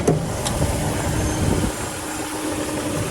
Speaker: it is running smooth as